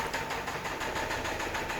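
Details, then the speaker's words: Engine at idle, no dash warning lights, Lucas oil added with no change: sharp even metallic knock about eight raps a second; suspected big-end rod bearings, possibly lifters, before opening it up. "So I'm assuming it's either the lifters or maybe very end bearings. But probably the very end bearings are the most common problem on this noise. You can hear it's not tapping, and probably it's knocking like."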